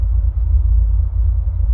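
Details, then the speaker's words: 2005 Ford F150 cold start before driving to the gas station; check engine light only from a catalytic converter due for replacement: deep steady low rumble at an even idle with no misses or knocks, normal cold idle. "So currently this is a cold start. We'll go ahead and start her up. So should be no issues."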